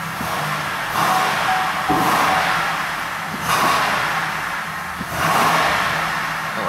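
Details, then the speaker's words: Chevrolet Impala 3.5L, after long slow crank, idling unevenly with surging and dips about every second and a good shake: misfire; codes P0118, P0335, P0326, "Engine Hot A/C Disabled" message. "okay it did start don't know if you can hear it but it uh feels like it's misfiring it's got a pretty pretty good shake to"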